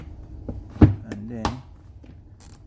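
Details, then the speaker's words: Imperial IMP-CRISPY-IR steam iron (120V 60Hz 1200W) after replacing thermal fuse, knob being turned: a few sharp dry clicks amid handling noise; thermostat contacts switching normally. "so you hear that clicking sound that is what I'm talking about"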